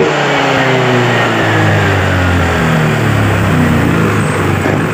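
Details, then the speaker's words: Honda Vario 125 scooter, long unserviced, revved with brake held: engine rises then settles into a flat, steady drone with no pickup at top rpm; injection light stays on, speedometer sensor cable broken, causing high-rpm power loss. "ya di bagian lampu indikator injeksi ini selalu menyala Nah itu bermasalah di bagian spedometer ya di bagian kabelnya itu putus"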